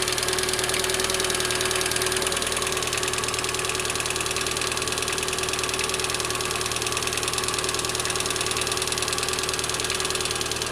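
Fast, light, even tapping from the top of the engine over a steady idle; that's hydraulic lifters not pumping up.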